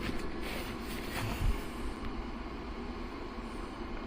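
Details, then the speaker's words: Fischer Panda generator on a Regal 38 XO boat: an even, steady drone with no knocks or surges; it runs normally, but the display shows "no CT board detected" and reads no kilowatts or voltage. "so basically we got nothing so generator runs and does everything is supposed to we have nothing reading on the screen"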